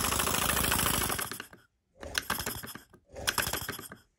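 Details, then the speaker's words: Small model steam engine (Mamod SP2, Wilesco D16 or Stuart S50) running on compressed air: sharp, rapid knocking, about four per second, in each running burst over the chuff of air; owner suspects the piston. "there's a knocking sound hear that I think where that's coming from no he's making that knocking sound I can put a bit more on this um let's have a little lesson yeah that's coming from the piston"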